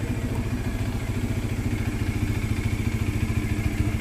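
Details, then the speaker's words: Bajaj Dominar 400 at idle and revving: quick regular clattering taps at a couple of beats a second. A loose part shakes and vibrates when revved, causing the vibration sound. "kumakalog siya nagva-vibrate Isa siya sa pagbibigay ng hindi magandang tunog sa motor natin pagka nagsis silinyador"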